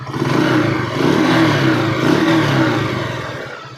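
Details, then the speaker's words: Honda TMX single-cylinder motorcycle, hard starting, needing choke: revving with loud, uneven metallic clatter, knocking and ticking over the exhaust note; engine to be overhauled. "Okay guys ah napakaingay niya guys makaldag na may kalampag na malagitik siya mga idol ayan napakaingay"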